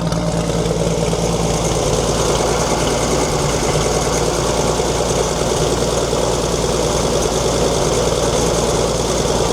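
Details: 1942 Chevrolet Blitz CMP 4WD truck, 216 petrol straight-six: rough uneven idle with gritty rumble throughout; owner points out water pump noise, engine later boils, pump seemingly not pumping.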